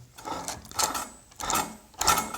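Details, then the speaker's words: KJ-66 model jet turbine before service, rotor hand-spun: three scratchy, gritty whirring bursts fading as it slows; rotor slightly loose, worn bearings scraping, service due. "es kratzt leider es wird mal Zeit für ein Service."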